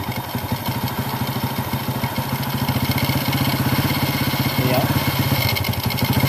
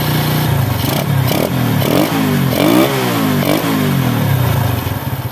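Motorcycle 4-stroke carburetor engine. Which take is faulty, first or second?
second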